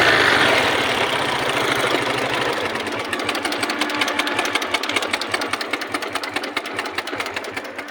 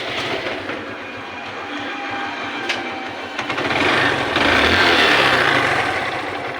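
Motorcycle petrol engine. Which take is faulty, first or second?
first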